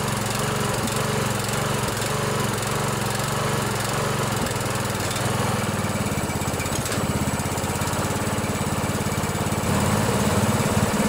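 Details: Hard-starting Briggs & Stratton OHV Intek single-cylinder riding mower engine after valve adjustment, on choke, chilly about 40 degrees: loud even chug at steady speed, no valve-cover tapping; runs smoothly.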